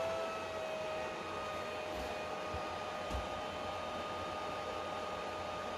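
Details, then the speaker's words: PlayStation 3 CECHC overheating CPU around 66 degrees: loud steady airy rush with constant high whine, fan running flat out and making a strange background noise. "We are finally now under 68 degrees. 66 right now. But this fan, look, it makes some strange background noise."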